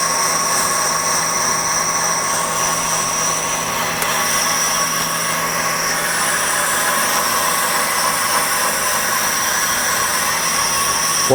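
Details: 1998 Ford Contour brake rotor, causing pulsation, machined on a brake lathe: a steady motor hum under a constant high cutting hiss. A light, normal cut.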